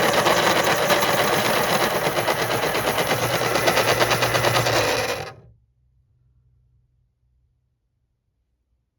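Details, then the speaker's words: Panasonic KP-33N electric pencil sharpener while sharpening: harsh rapid rattling grind for about five seconds, then stops quickly with little coast-down; sounds rough, owner suspects it needs lubrication. "it sounds like this one might need some lubrication"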